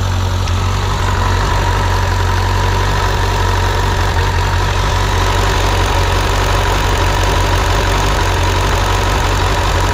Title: suzuki gsf 600 hot engine, tiny ticking noise in engines head.